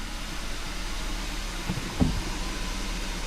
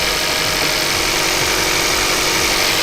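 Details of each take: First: Kia pro_cee'd GT after clearing faults and resetting adaptive values: a weak, stumbling idle close to dying, now misfiring on every cylinder while the rotten-egg smell has gone; the new NGK spark plugs are suspected faulty. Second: Kia Ceed GT (pro_cee'd GT) with cold-start misfire: with coolant temperature sensor bypassed/unplugged, engine idles steady and even with no misfiring at all; normal idle.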